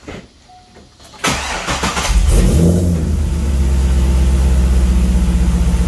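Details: 2003 Chevrolet Corvette Z06 LS engine after valve spring replacement: starter cranks, engine fires and settles into a steady, even rumble with no ticking; valve train sounds healthy, normal start and idle.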